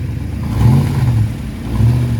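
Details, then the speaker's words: 1986 Mustang 5.0 GT, Lunati Wolverine cam, BBK longtube headers, 650 Holley, at the drag strip. Deep revs with a raspy edge give a rough exhaust note; possible header leak suspected, not confirmed. "Man, that sounds saucy. Sounds like you got a header leak."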